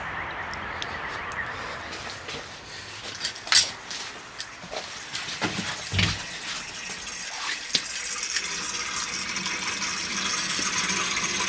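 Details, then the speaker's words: Open-vented central heating system with 17 radiators being refilled during a powerflush: rushing water hiss with irregular rattles and gurgles as air is pushed through the pipework. "can actually hear the air rattling through that now. Hear it? It's just air."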